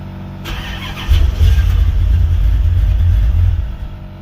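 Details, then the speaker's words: Chevy Caprice with LT1 engine swap, cold weather, previously stumbling and backfiring on throttle; fuel pump heard priming, starter cranks steadily with even churn but never fires – crank no start, cause unconfirmed. "So actually going to drive it yesterday, and I came back out, and now it won't start."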